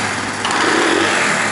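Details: Honda CD 70 / China 70 motorcycle after accelerator cable adjustment with slight free play: small single picks up cleanly as the throttle opens, revs climb smoothly with no lag or stumble; normal throttle response.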